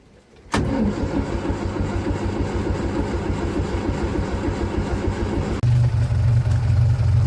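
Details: 1947 Austin 16, first start in about 17 years after fuel pump rebuild, petrol in the carburetor, a little choke: starter churns about five seconds, then the engine catches and settles into a steady low rumble.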